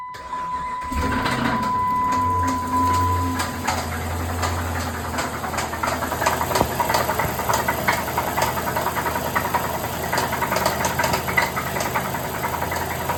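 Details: 2015 Chrysler 300C 5.7 Hemi V8 before repair; cranks and fires, then runs with a rapid irregular tapping knock, three to four per second, over the idle; bottom-end rod/main bearing knock suspected, not confirmed.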